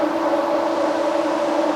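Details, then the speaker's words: Road Runner's new ColdCase radiator fan run with its temperature switch grounded, before coolant fill: strong steady rushing whir with constant hum, no rubbing or wobble, pulling a paper towel to the core face. Normal electric fan operation, fixing the old pusher fan's weak airflow. "That's what you want to see. It'll suck a paper towel right to the front of the core. That's perfect."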